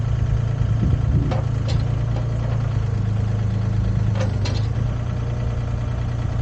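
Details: Used Komatsu PC10-3 mini excavator (hydraulic controls, thumb), hood down, running at low idle, just enough to keep the battery charged: deep, steady diesel hum, even and smooth with no knocks or misses; normal low idle.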